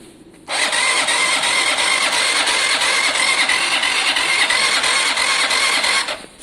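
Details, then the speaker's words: Zontes motorcycle with a seized engine, cranked on the electric starter with a full battery after the tank was dropped. A steady starter whir with a pulse near three per second, plus a kickback: it now turns with compression, the lightly seized pistons freed. "That's an engine with compression. That goes to show you guys. Oh, hang on. Oh, we've also got a kickback. You know what's happened? The pistons were lightly seized there."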